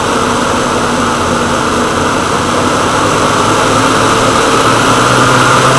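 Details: Woodgas-fuelled truck with the gas mixer valve set by hand rather than the servo that leaned the mixture and stalled it: steady, even drone at a fast idle with no knocks or misses.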